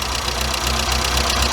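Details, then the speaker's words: Weber 38 DGAS carburettor before idle mixture screws were turned out a quarter turn: rough, uneven idle with irregular stumbles and slight knock, motor jerking and struggling; lean idle stumble, smoother after richening. "you can see the motor is jerking a little bit he's struggling a little bit"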